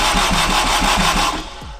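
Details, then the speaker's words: Turbo AWD Acura RSX (DC5) on a standalone ECU, starter jumpered: steady chug about six pulses a second, never catches, winds down; crank no start. Owner suspects the tapped ECU fuse loses 12 V while cranking, shutting the ECU off. "so literally I think probably the fuse that I have tapped into for the ECU it's losing its 12vt as it's cranking"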